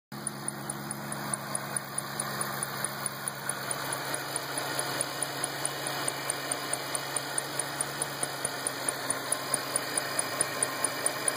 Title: '08 GT500 ticking sound, video 1